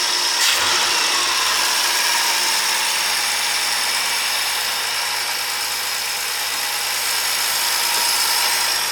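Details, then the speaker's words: 1954 International R100 pickup with a freshly installed Ford 300 six, warming up with light throttle blips: steady, even idle with a smooth fast beat and faint hiss; sounds excellent. "Let's let him warm up, see what we got. Boy, it sounds excellent."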